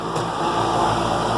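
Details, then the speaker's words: Armstrong Air condenser restarted after replacing a dead 50+5 µF capacitor (read zero) on a hot day, running normally: steady even hum with smooth fan whoosh, no buzzing, clicking or labouring; refrigerant charge still to be checked. "so it's fired back up now I'm gonna let it run for a little while we'll check the refrigerant charge just to make sure that's okay"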